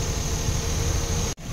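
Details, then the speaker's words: Suzuki DA64W with K6A turbo engine, which has a low-power problem, idling with the air-con switched on: deep, lumpy low rumble, the shaking grows stronger, RPM sags very low and the exhaust vibrates heavily; rough idle worsens under AC load, cause not yet found. "So ito na po ang resulta pag naka-aircon na po tayo. Lalong lumalakas ang kurog-kurog ng makina. Ang RPM ngayon ay sobrang baba."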